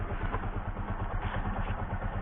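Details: Bajaj Pulsar 135 (S135) motorcycle with a total no-start or lost-ignition problem, now started and idling. Soft, even idle pulse holds a steady low beat with no stumbles or ticks: the bike idles cleanly.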